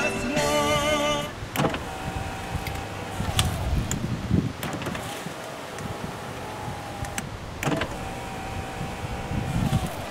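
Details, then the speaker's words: Newly installed WeatherTech wind and rain deflector tucked under the outside window gasket; window motor whirs with creaks and clicks as the glass seats the deflector during the first few runs, quiet afterward; normal. "So the first couple times it kind of creaks in there. It sounds like it's cracking and breaking, but it's setting it into place that way. So now when you roll it up, it's quiet."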